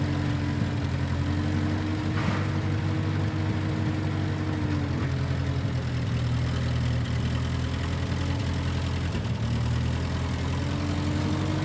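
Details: 1955 Massey Ferguson MF65 tractor, in family 30+ years, restarted after sitting a couple years; carb needed cleaning, Marvel Schebler carb may need slight dialing in. Steady, even low idle, smooth beat, no knocks or misses; normal idle.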